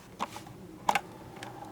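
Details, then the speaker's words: Jensen SCR-75 portable cassette player playing a tape: irregular dry clicks and ticks over a faint tone of music. The tape transport mechanism is running noisily. "that's a very noisy mechanism if i do say so myself but i do hear some music playing"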